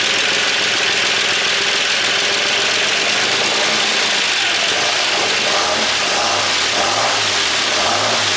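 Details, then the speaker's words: 1963 Buick Special, first start after years sitting, gas poured in the carb, oil pressure unknown: idles with a loud, busy clatter from the top end riding over the exhaust; oil looked good. "I do not know what we have for oil pressure. Boy, there's not a lot of There's a lot of noise in that upper part."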